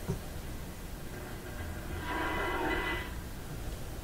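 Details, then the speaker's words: Philco PT-10 tube radio after replacing the power-supply filter capacitors, at 122 volts: background hiss with a brief scratchy crackle as the dial turns; suspected shorting tuning capacitor plates, not confirmed. "okay it always works this way I mean the dial string in that H that sounds like shorting capacitor"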